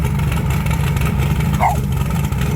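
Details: 1980 Trans Am with turbocharged Gen 1 small-block Chevy (blow-through carburetor), after new valve seals: deep, steady note with smooth, even revving and no misfire or rattle. Earlier heavy smoking is fixed, barely smoking at cold start. Healthy.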